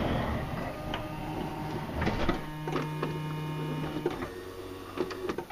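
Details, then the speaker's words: Honda Odyssey power sliding door: door thuds shut, then a short electric cinch motor whir pulls the latch in, only when the door is pushed fully closed; door not pulling itself in far enough, cause unconfirmed. "okay did you guys hear that electric motor in there all right so one of the problems is the door isn't Shu um sucking shut far enough to engage the electric motor to pull that lat shot"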